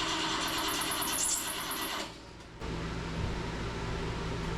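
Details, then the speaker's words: 1977 BMW 530i parked since 2017, after spark was restored: the starter churns at roughly three to four turns a second without firing, so it cranks but won't start; fuel pump suspected of not kicking on, unconfirmed. "you turn that over what do you think no fuel feel like the fuel pump's not kicking on"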